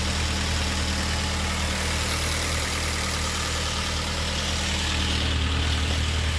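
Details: Honda CRX with swapped K24 on Haltech ECU, idling while a mechanical vacuum gauge reads about 22 of vacuum, matching the Denso OEM MAP sensor: smooth, steady low hum with a hiss over it, no misses or knocks; normal idle.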